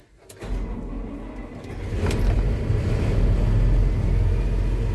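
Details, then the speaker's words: Massey Ferguson 40 combine diesel, just after an oil change with sump refilled, started to check pressure: catches quickly into a deep even idle, no knocks; oil pressure light out, charge lights still on. "Oil pressure light is out, so we're all good. I'm just gonna let it run for a few seconds."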